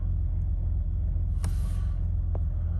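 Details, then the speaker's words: 1982 BMW E21 320 two-door automatic, very low mileage, six-cylinder, just started: lights come up and it settles immediately into a smooth, deep, steady idle with an even beat and light clicks; normal healthy idle. "Okay, let's fire up this BMW E21. Lights come up as they should. Settles immediately down to a nice idle."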